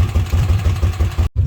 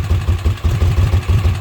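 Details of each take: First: Kawasaki Mule after oil seal replacement and reassembly: low, even putter about seven or eight pulses a second, no ticking or clatter; idling nicely, no oil leaks. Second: Kawasaki Mule after oil seal replacement: low chugging idle with uneven loping pulses about seven per second, idling on its own but rough; no oil leak.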